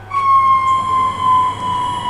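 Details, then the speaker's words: Weiler E30 at startup: steady high whine near one kilohertz over a low hum with a slow wobble, from the oil pump whose loose bushing lets the motor shaft run out of true. "what you just heard is the oil pump uh it has the bushing that is too loose so basically uh how the axle of the motor that of the pump is spinning instead of spinning like this it's actually spinning like like this so that's why it's making that noise"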